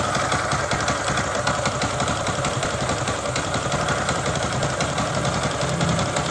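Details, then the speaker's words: Honda Supra X 125 (KJZ engine) that ran out of oil, at idle after a bore job and new piston cured the smoking: steady idle with a regular knocking about three times a second. Connecting rod knock remains. "Tapi untuk suara stang sehernya itu belum hilang gitu. Jadi nanti ini saya hidupkan dulu sebentar suaranya biar teman-teman itu tahu."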